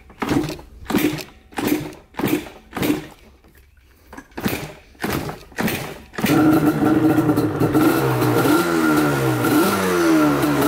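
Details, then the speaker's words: Yamaha Banshee two-stroke twin, rarely ridden, after a fuel tank cleanout: kick-started with choke and a little gas, catches after several tries, then runs rough and lumpy with uneven popping as one cylinder misfires. Owner suspects an already fouled spark plug. "But you guys can see this one's misfiring over here. It's like it's not getting anything to it. So I wonder if that spark plug's fouled already."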